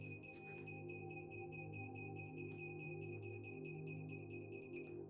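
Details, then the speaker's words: Chimera 7 Pro V2 drone on Betaflight 4.5 after assigning beeper switch (AUX5); the onboard buzzer beeps clearly, high-pitched about twice a second over quiet background; buzzer working normally. "bon déjà on voit que ça fonctionne puisque ça c'est les beepers. Alors le Day-Shot Beacon, en fait, là on l'entendait, mais c'était surtout le buzzer en fait qu'on a monté dans le drone qu'on a entendu."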